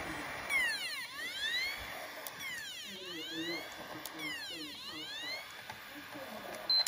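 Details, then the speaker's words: PS4, up-to-date software, clean unscratched disc inserted: repeated rising then falling whine bursts about every two seconds as the drive fails to spin up and read; dirty laser lens. "but when you pop the cd in you can actually hear it trying to run it's trying to spin but for some reason um it's not being read so it can't spin up to the appropriate speed"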